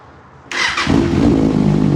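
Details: 2016 Kawasaki ZX6R that the seller couldn't get running for two months, after the fuel pump was plugged in and primed: catches within a second, revs crisply and settles into a strong, even run with no misses, a normal start and rev.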